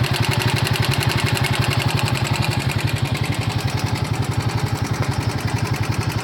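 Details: Royal Enfield Himalayan 450 single-cylinder at 12,000 km, idling: steady fast beat with a sharp irritating tapping over the thump; abnormal mechanical engine noise of unknown cause.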